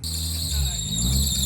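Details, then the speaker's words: Cheap $500 BMW E36 convertible idling: loud steady high-pitched squeal holding constant; the belt is slipping because the tensioner is completely dead. "Oh, it's cuz the tensioner is like [ __ ] completely dead."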